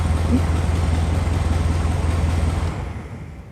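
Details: 1972 Karmann Ghia after electrical rewiring and choke adjustment, started in cool weather (about 50°F): steady low, even air-cooled burble with no misses or knocks, running smoothly until it quiets near the end; a healthy idle.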